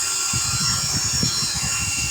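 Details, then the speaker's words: Network switch with stock fans, just booted: steady loud high-pitched fan whir with piercing tones, doesn't quiet once fully booted; even one stock fan is horrendous, to be swapped for Noctua fans. Loud cooling fan noise. "I know it's kind of janky, but the noise with these stock fans, like even one of them in here, is horrendous."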